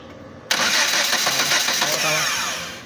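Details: 2011 Kia Rio with no ECU communication, no signal and no spark: starter spins the engine with even chugging for about two seconds but it never fires; cranks but will not start.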